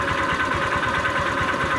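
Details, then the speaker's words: Honda Vario 125 scooter at idle after oil change with oil treatment and Shell 2050 oil: dull regular knock each turn over fast steady idle; owner attributes it to a worn connecting rod, which the oil treatment did not quiet, needing replacement. "Jadi kalau menurut gua oil treatment sama oli 2050 nggak bisa ngobati untuk yang stang seher rusak ya. Jadinya memang harus diganti stang sehernya,"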